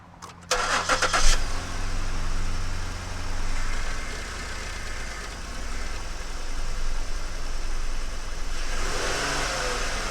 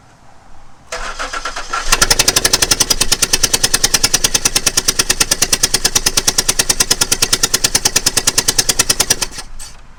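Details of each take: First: Ford Flex 3.5 non-turbo, first start after a spark plug change: it cranks briefly, catches quickly and settles into a smooth, even idle, then a light rev rises cleanly. Healthy running. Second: Ford Flex 3.5 NA during a spark plug change, cranked with the last plug still out so the cylinder spits out oil: fast, even starter cranking at about eight beats a second that never catches, with no firing.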